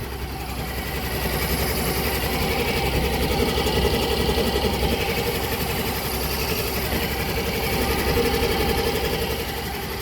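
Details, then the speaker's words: Yamaha Gear 125 scooter after 3 years of use: very smooth idle with smooth vibration and smooth CVT, no rattling; a steady quick even patter with no knocks or misses. Normal idle. "halus sekali, enak ya, suara mesinnya enak sekali, getarannya juga halus, CVT-nya halus, nggak ada geredek ya."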